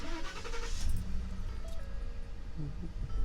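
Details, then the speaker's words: 2014 Ford F150 started with the AC off, after a pop and bad cab shuddering while driving: it catches quickly and settles into a low, even idle with no knocks or rattles; normal, the vibration appears only with AC on and the blower motor is suspected. "you can see it sounds just fine starts up just fine not hearing anything out of the ordinary"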